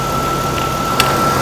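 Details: 2013 Toyota Tacoma at idle: steady high thin squeal, unchanged over smooth idle, from the belt drive; pry-bar check of tensioner and pulleys one by one to isolate alternator, pulley or water pump; idler pulley bearing squeal.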